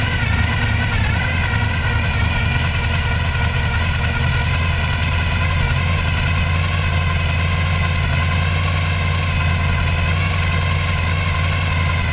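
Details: 1995 Chevrolet Silverado 454 V8, gear-drive timing, high-lift short-duration hydraulic cam, otherwise stock: deep steady idle with an uneven low rumble and slight lope. Suspected low compression on a cylinder.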